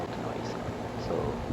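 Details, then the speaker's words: Carrier home HVAC AC condenser fan after replacing the fan blade that caused loud metal clinging and shrieking: smooth steady low hum, no shrieking, clicking or metal contact; fixed, running normally. "you can actually hear the the fan humming noise and that's normal but you do not hear any or at least i do not hear any clinging noise or loud shrieking noise or metal clicking noise"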